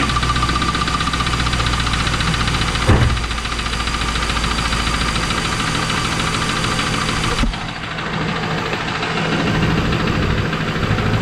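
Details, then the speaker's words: 2001 Pontiac Trans Am V8 with a deep, steady knock over a rough idle that doesn't fade as it runs. Owner hopes it's piston slap but suspects rod knock. "I'm still hoping that it's piston slap but it sure sounds like rod knocked"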